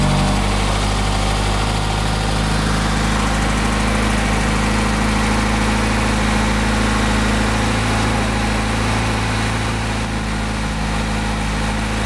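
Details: Rare BMW M homologation car (one of 786) first start after 20 years garaged, fuel fed from an external can, four injectors pulsing and spark confirmed, cold morning; deep, steady idle with constant low hum, no misfires, runs evenly and healthy.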